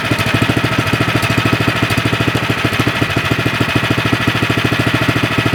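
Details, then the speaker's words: 24-inch Troy-Bilt snowblower that only ran on choke and surged after sitting about 9 months with gas; idle adjusted after the fix, electric start. Even, steady single-cylinder idle with quick regular firing, no surging or stalling; normal idle. "The idle set good, so I'll put the cover back on."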